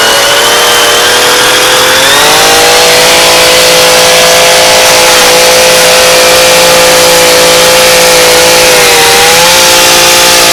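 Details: Echo PE-225 two-stroke edger after carb adjustment, tested under load by edging into dirt: the high buzzy note holds steady, dips briefly and recovers cleanly with no stumbling or surging. Healthy running.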